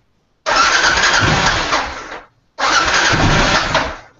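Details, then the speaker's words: Choked cold start of a motorcycle being prepped for adventure riding; the engine catches straight away and runs evenly in two short bursts with no knocks or stumbles, a healthy cold start, not revved hard. "So it does run. I don't want to rev it up too much, and I don't know what time it is."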